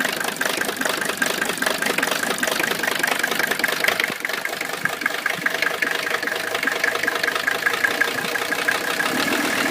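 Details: Mercedes with rough idle and no power: thin, uneven idle with irregular ticking pulses around two and a half per second, no steady rhythm; running rough.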